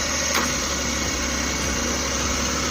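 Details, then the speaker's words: DA64V/DA64W engine idling with air conditioning on, after cleaning the IACV without removing the throttle body: smooth, steady low hum, no hunting or misses, barely moving; normal idle. "Kung mapansin ninyo, yung makina natin ay tahimik na tahimik."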